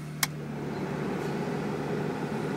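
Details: Cadillac Catera heater/AC blower with toggle switch and key-on relay wiring in place of the burnt blower resistor: a click, then steady low hum with constant airy rush on high; blower works properly.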